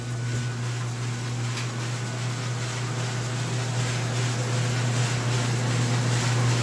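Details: GE dryer that shut off after pushing start, after repair and reassembly: smooth, even low hum with steady drum rumble, no thumps or squeal; running normally.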